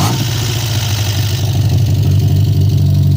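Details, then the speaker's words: Peugeot 405 Mi16 16V, first start after 5 years, cold, after the idle stepper motor was replaced because idle was high: steady, even low rumble with no hunting or surging; good normal cold idle. "Now it has good idle. This is how 16V should work when it's cold!"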